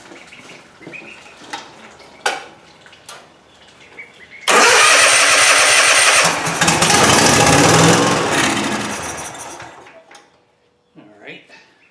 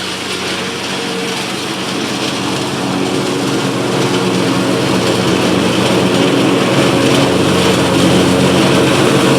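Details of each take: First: Cub Cadet Ultima ZT2 zero-turn mower with new carburetor and dry fuel system, started on starting fluid: cranks, catches loudly a few seconds then fades and dies; no fuel delivery, fuel pump suspected despite earlier testing. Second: Cub Cadet Ultima ZT2 zero-turn mower with a 60-in deck, on the final grass test after several no-start issues were repaired: a steady, even engine drone at one speed with no misses, knocks or surging. It is running healthy.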